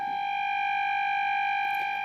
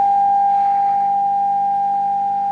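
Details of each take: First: Radione WSH3 vintage tube radio (E438 and B409 tubes, no electrolytic capacitors), fed an 800 Hz test tone from a signal generator during tuning: a steady high tone carries a faint rough buzzing hum, blamed on the old filter capacitor and choke, due for replacement. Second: Vintage Radione WSH3 tube radio after repair, tested with an HF signal input: a pure, steady mid-pitched tone holds clean for ten seconds with no crackle, dropout or warble, so the set plays properly.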